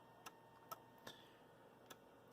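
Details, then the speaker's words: Water storage tank automation setup: five crisp, sharp clicks over about two and a half seconds in a quiet room as power comes on; the relay, meant to switch a well-pump contactor, is switching cleanly as it should. "so right now when this comes up the you can hear the relay clicking in there"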